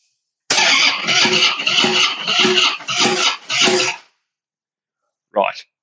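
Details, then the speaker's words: Harley-Davidson Breakout that sat a long time, old varnished fuel: about six slow, labouring starter strokes over three seconds without firing; battery too weak to crank properly, fuel pump also suspected. "So, the battery isn't healthy enough. One, to get a proper crank going."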